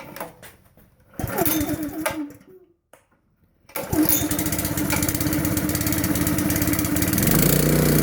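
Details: 5.5 hp Honda engine on air compressor, fresh pump oil, good belt, dirty air cleaner, choked start: catches after a couple of pulls, then steady even chug firming under load; runs good.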